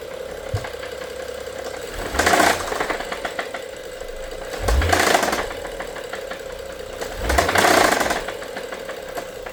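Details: BMW F07 with N55 engine at idle: a steady hum broken by three loud, harsh knocking bursts roughly every two and a half seconds; engine knock, cause not yet found.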